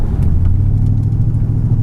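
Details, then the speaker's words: Mercedes-Benz E55 AMG W210 with Kleemann 55-K2 supercharger, throttle flat to the floor, in limp mode: deep rumble stumbling and hesitating with uneven beats; multi-cylinder misfire, owner suspected MAF sensor, traced to Bosch F5DC spark plugs. "yeah you can hear that how much hesitation is there that's my foot flat to the floor"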